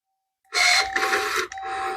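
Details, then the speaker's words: Porsche 944 left in the woods a year, power mirror motor: short bursts of thin, steady high whine as it moves each way; works in all directions but sounds like it needs lube (suspected, not confirmed). "Ooh, it sounds like it needs some lube, but it's working in all directions."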